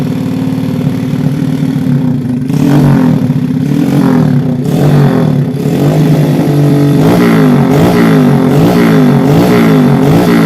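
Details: Honda Vega R small four-stroke motorcycle engine, initial condition before teardown, smoking heavily; revving with a rough clattery mechanical noise from the cylinder head area.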